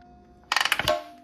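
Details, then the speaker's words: 2005 Honda CRF250R with a freshly rebuilt engine, timed, with valves reseated. A quick burst of about seven light metallic ratchet clicks, then a fading ring. This noise was heard earlier and turned out to be the auto-decompression mechanism, which is normal. "noise that's the auto decompression mechanism so thanks to one of your guys's help and a little bit of research apparently that sound is completely normal"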